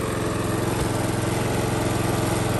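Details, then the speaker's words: Lawn mower single-cylinder after rebuild for knock from running low on oil: with RPMs turned down, fast even patter, no tapping or knocking audible next to the mower, huge improvement over before; normal running, though it may still knock inaudibly. "so there we have it I can't hear audible knocking standing next to the mower and I suppose in that respect it's a huge Improvement"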